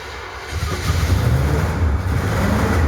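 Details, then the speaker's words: 1970 Chevy Impala 400 small-block, long abandoned, new battery and ether: engine stumbles and catches, then builds into rough rising revs with deep uneven beat; flooded engine clearing and firing. "Well, either that or we flooded it. Let's try to see if we flooded it first."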